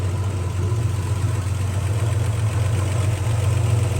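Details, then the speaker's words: 1968 GMC factory big-block V6 truck idles deep and lumpy with a light lifter tap about four times a second and a faint rolling whir from a worn water pump bearing; owner calls these engines always noisy. "These things are always noisy. Another one I've had has been a little bit noisy. Some noisier than others. This water pump bearing you can hear k"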